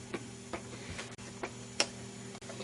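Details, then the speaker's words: Meter needle tapping against its stop, light irregular ticks about one or two a second, from fluctuating current draw of an older FrSky Futaba 2.4GHz module in binding mode, powered by a 3-cell LiPo through two 1N4004 diodes. "See the needle fluctuating, bouncing. In fact, it's bouncing so hard you can hear it tapping."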